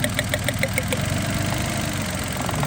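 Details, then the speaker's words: 2014 Suzuki Mehran idling steadily after repair, all coils and cylinders firing, no misfire. The middle cylinder had misfired, probably because water got into its connector and carbon built up; P0350 ignition coil circuit code. "जो है इसकी सारी कॉइले काम कर रही हैं।"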